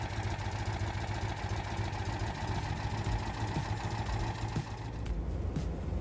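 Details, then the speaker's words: 1988 Citroen 2CV flat-twin, stone cold, just after fitting 123 electronic ignition in place of points and condenser: starts quickly and settles straight into a smooth, steady, slightly lower idle with no hunting, where before it was up and down; healthy idle. "So the biggest difference I can tell with 123 is the way it starts. It starts very quickly and immediately settles down to a really smooth, sort of, confident kind of idle."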